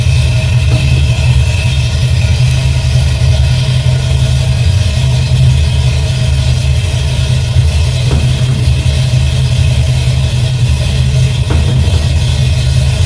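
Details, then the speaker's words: Engine with the Holley carb issue fixed, on a cold start: strong, steady idle with quick, clean rises in revs when the throttle is blipped. It runs evenly and responds crisply; normal. "All right. Had to start up with a cold start. See how she work. Beautiful."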